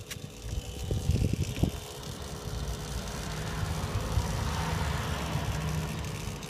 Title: Citroen DS5 Hybrid Rattling Sound from motor